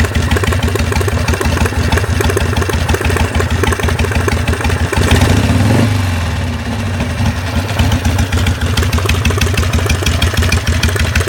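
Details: 2004 Harley-Davidson Sportster idling with a loping V-twin beat and a repeated knock riding each beat, about three per second, with a brief blip midway; owner trying to identify the noise, cause not determined.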